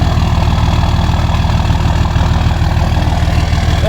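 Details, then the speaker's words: 2003 Dodge Cummins diesel pickup at cold morning idle, window down: steady low clatter with heavy rumble and even rhythm, no misses or knocks, no blow-by, truck vibrating heavily. Engine sounds healthy. "sound too bad now I know it's cold but not blowing any not doing any Blow by obviously vibrating like crazy cuz it's probably got probably a good motor mount in it"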